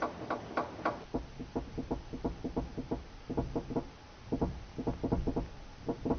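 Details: Car suspension noise: bursts of hollow knocks, several in quick succession then pauses, like parts clunking over bumps. The source is unknown and not necessarily a shock absorber.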